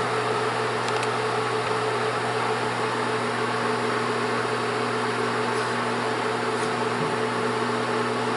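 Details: Bell & Howell Autoload 8mm/Super 8 projector left running to ventilate and cool the very hot bulb about 5 minutes: constant airy whir, steady low hum and mid tone, no rubbing or ticking; normal fan running.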